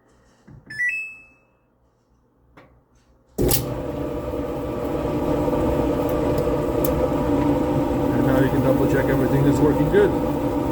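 A dryer starts with a beep and runs with a steady, even hum, with no squeak, before stopping.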